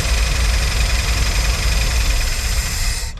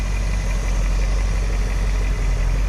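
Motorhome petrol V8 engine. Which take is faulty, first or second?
first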